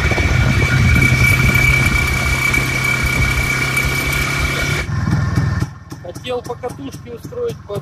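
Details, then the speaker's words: Hot two-stroke IZh Planeta 5 revving hard under load, then quick sharp crackling clicks from the cylinder as it eases off: detonation knock on a hot engine; fitting a 17 heat-range spark plug didn't help. "1 грелся начал потрескивать цилиндр такими характерными щелчками"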